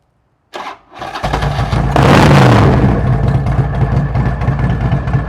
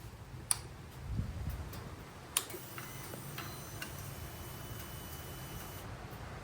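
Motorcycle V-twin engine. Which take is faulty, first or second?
first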